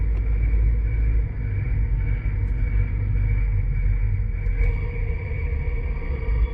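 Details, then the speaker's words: 2006 Nissan Altima with thumping brake complaint, chassis-ear microphone 1 during on-road braking: steady low road rumble, ordinary brake noise with no thumping or rhythmic pulse at this corner; brakes sound normal here. "I just hear ordinary brake noise. So I'm going to get it out on the road and we're going to apply the brakes."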